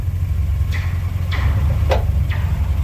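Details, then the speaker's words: 2016 Ford Expedition at idle with windows down, shifting drive to reverse and back: four short, sharp metallic pops about half a second apart, like metal on metal; traced to a rear-end arm, either a worn bushing or a loose bolt at the frame-pressed bracket. "again yep that's that arm right there that goes to the rear end that's popping"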